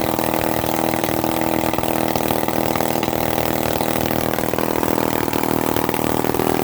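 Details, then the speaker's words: 1950s Lombard 35 gear-drive chainsaw, 60 psi compression, stator plate rotated out of position, on half choke: weak rough two-stroke burble, barely idling, cannot spin chain; low compression and retarded ignition timing. "Barely enough power to stay running on its own. I mean, you got to choke it halfway. And this engine's old and tired. It's only got 60 PSI compression, and it runs like that."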